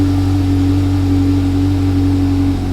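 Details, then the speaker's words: Exotic car after refitting the intake manifold, which leaked because two gaskets were stacked on one side: after a long crank, a steady, even engine note with no misses, surges or hissing. Runs smoothly; fixed. "Yay! Yay, it's fixed! Hooray!"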